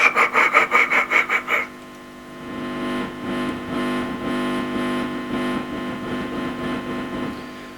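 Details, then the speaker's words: 1955 Fender Tweed Deluxe amp, instrument volume turned up: rhythmic gritty scraping bursts continuous around the dial, then steady hum; diagnosed as DC on the pot from leaking non-electrolytic coupling capacitors, not a dirty pot. "now what I think that is is I don't think that's a dirty pot eventually you learn to hear the difference between the sound of a dirty pot and the sound of um DC on a pot and I think this has got DC on the pot"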